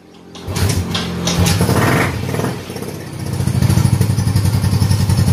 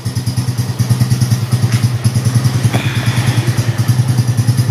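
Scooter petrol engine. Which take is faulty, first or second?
first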